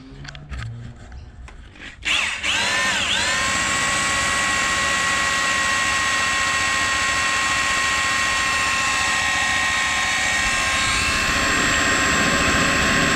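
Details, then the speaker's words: Priming the oil pump with a drill on a partially stripped, rat-infested Ford 302 Cleveland that sat for 20 years. Drill whine bogs, then holds a steady lower pitch as oil thickens and the pump delivers oil. "you can actually have a listen to the drill it's starting to light up as the viscosity gets thicker because it's actually pumping oil through"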